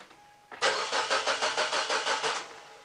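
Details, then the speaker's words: Mazda 626 petrol engine with an intermittent no-start: even starter cranking at about three compression beats a second that never catches or fires. Fuses checked OK. "so as you can see it cranks over no problems but eh it's not starting"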